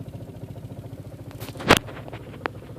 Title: 1.8t aww rough idle